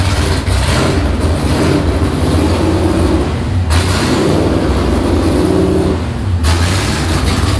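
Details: Freshly built V8 in an S15 on its first start, throttle cable operated by hand, before exhaust is built: deep rumble rising and falling with throttle blips, catching cleanly each time; normal running.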